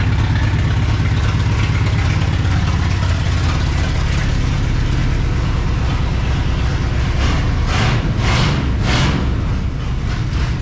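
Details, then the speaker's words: 1960 Pontiac Ventura 389 two-barrel V8, parked 24 years: loud uneven loping stumbling idle sounding cammed, like a seven-cylinder tractor, only marginally better, cause unclear; rough lopey idle. "it's uh it's marginally better just marginally it's still plenty loud it sounds like a 7 cylinder tractor"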